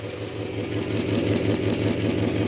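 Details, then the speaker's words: 1964 Studebaker Daytona V8 at 650 rpm idle after tune-up, valves still to adjust, Marvel Mystery Oil cleared from cylinders and added to fuel, single exhaust: steady, smooth, unbroken idle beat with no knocks or stumbles; running healthy. "think it sounds pretty good, even though it is just a single exhaust."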